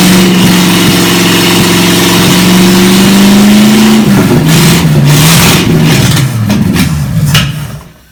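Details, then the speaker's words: Chevy 283 V8 Marketplace find, run again on the shop floor before a compression test: strong even beat climbing cleanly with throttle and settling back smoothly, no knocks or stumbles; healthy running and revving. "I'm going to run it one more time [Music] Beauty it runs so good"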